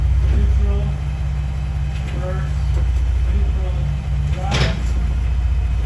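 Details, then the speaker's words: 2017 Ford Raptor with a clunk on deceleration from 4th to 3rd, shifted neutral to drive at idle: a sharp single clunk and a couple of softer knocks. Driveline lash; rear diff/driveline suspected, cause not confirmed. "Hopefully we got some good footage cuz that's really annoying that sound."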